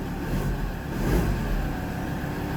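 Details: Mazda BT-50 just fixed of no-crank no-start from loose immobilizer antenna ring; immobilizer no longer blinking, low rumble that swells smoothly with a light throttle blip and settles; runs and revs normally.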